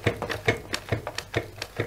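Scooter suspension pumped by hand gives soft, dull thuds with no sharp metallic knock at the end of travel.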